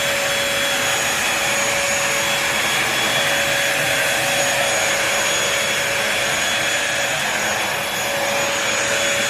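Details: New Bissell 3-in-1 Lightweight Stick Vacuum, model 2030, running for sound test on crumbs and sand: steady, even motor rush with constant high whine, no surging or rattles; healthy, normal running.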